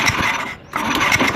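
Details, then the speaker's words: Honda Scoopy FI with fuel pump and dirty injector already fixed: starter spins with a ratchety whirr that cuts out and returns, flywheel rotating forward then back, engine won't crank; faulty crankshaft position sensor. "Permasalahan yang kedua starter tidak angkat. Ya, saya coba starter lah."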